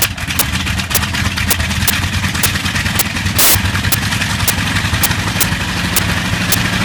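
Big radial rumbling along with sharp pops about twice a second and one louder crack; the engine is misfiring slightly.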